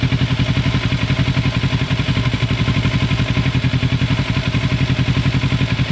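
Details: 2006 Kawasaki Ninja 650R idling with a steady, fairly regular light ticking on the engine pulse; owner unsure whether it is normal.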